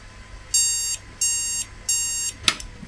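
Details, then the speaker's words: Board with a 1300+ processor, after moving the RAM to a different slot: clicking, then three short high beeps about two-thirds of a second apart, and the board never boots; POST failure. "Okay. Immediately the behaviour changes. Out. Click, click, click. Bleep."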